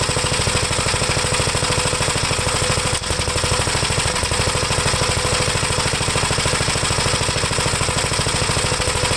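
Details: 1973 Gravely C8 single-cylinder after the magneto was removed and the points cleaned and gapped, with oil pressure present: steady, even chugging at a settled idle with no misses or knocks; runs cleanly.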